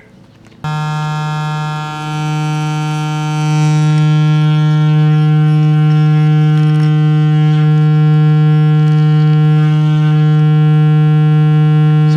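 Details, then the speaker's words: Westinghouse Little Jewel H126 six-tube AM refrigerator radio, test signal driven directly into the speaker (leaky coupling cap found on the grid): clean, steady low hum without buzz or rattle, peak around 150 Hz; speaker is good. "Sounds like the speaker is good. Speaker has a hell of a lot of, well, has a nice peak around 150 hertz."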